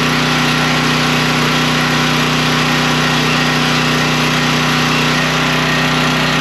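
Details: Generator after parts replacement, running with a vacuum cleaner plugged in as a load: a constant, steady hum at a fixed speed with no misses, knocks or surging; it runs smooth.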